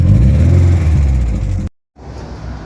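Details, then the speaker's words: VW Golf Mk1 cold start, fuel pump bridged to a switch, before timing adjustment: cold engine revving with a deep uneven rumble and an occasional stumble, a slight miss. "Cold start. Heat. Heat. [Music] Can you hear a slight miss?"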